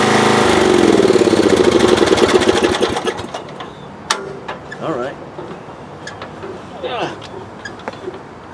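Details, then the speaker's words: Roughly 35-year-old lawn tractor (about 1982–83) that would not restart when hot, after a new ignition coil is fitted: the warm engine catches straight away and runs with a quick, even beat, then shuts off; normal hot restart. "consider added success so if you're having trouble starting after it heats up on you there you go 12 bucks gets up new coil"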